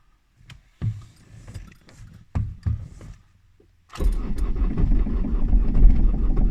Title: Toyota Avensis D4D Cold Start. Extreme hard start. Start Problem? Lithuania